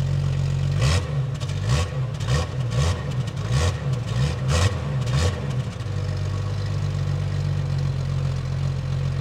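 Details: Jeep Cherokee 4.0 L petrol after fitting a stainless manifold and a new fitting to cure a leak: low, even idle rumble with no ticking or puffing, a few stray clunks early; sounds sealed, the earlier noise is gone.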